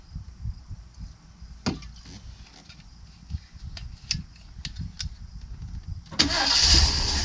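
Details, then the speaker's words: Crank, no start on the V8 of a custom 1979 Ford Pathfinder Quadravan 4x4 after a new carburetor, choke propped open. Starter turns the engine evenly at about three pulses a second and never catches. Owner suspects no fuel delivery; the carburetor fuel pump used to pump. "Yeah, it ain't getting fuel. This is funny because the carburetor fuel pump used to pump fuel."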